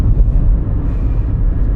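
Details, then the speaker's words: 1990s Opel Corsa B 1.2 16-valve with close-ratio gearbox, cabin recording at 100 km/h around 3,500 rpm after replacing the rusted, holed exhaust pipe: low, even drone with road and wind rumble, no blowing; quieter than before. "I don't have a rev counter right now, but I'm doing 100, and I imagine I'm about at 35,000. No, 3,500 RPM. Yeah, I can hear that the revs are quite high, so it will never be that quiet."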